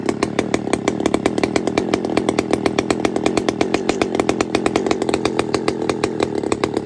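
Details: Pioneer P-41 chainsaw with big-bore kit, running: sharp, rapid two-stroke crackle with evenly spaced pops, no misses or stalling; running strong and clean.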